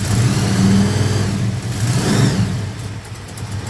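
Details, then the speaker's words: Holden HQ four-door with a small-block Chevy V8 and Holley carburetor, brought in sluggish: throttle blips and steady rpm give an uneven, lumpy beat with the engine bouncing fiercely; firing issues and dead cylinders, plugs to be checked; misfire. "all right so you can see on a constant rip we've got that misfire see the engine bouncing quite quite fiercely"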